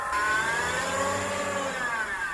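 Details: BMW E46 engine with a clear high whine that rises and falls in pitch with revs; suspected A/C compressor, and the engine sounded more normal once it was checked; accessory whine.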